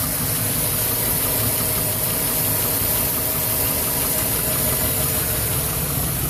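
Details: 2011 Silverado 5.3L V8, 126,000 km, after sitting 8 hours: struggled to start, then idles rough with an uneven shuddering beat and light ticking, nearly dying; valve cover with built-in PCV recently replaced; cause unknown.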